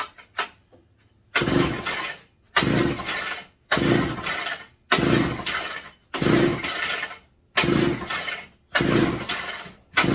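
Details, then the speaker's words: Rebuilt McCulloch MC49 two-stroke on a substitute 090 carb, first firing since the early 1980s, clamped in a vise with some throttle: catches in short roaring bursts about once a second, then dies. Misfire traced to a spark plug not tightened down and found loose. "hold on I don't think I tightened spark plug down all the way give me just a second just remember that right when it was firing a little safe than sorry on that but it was loose"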